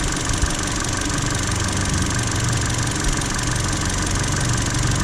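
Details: Intermittent misfire at steady low idle, an occasional uneven beat in the exhaust note, found with a GTC505 scope via primary coil current ramp and secondary ignition waveforms; cause: excessive spark plug gap.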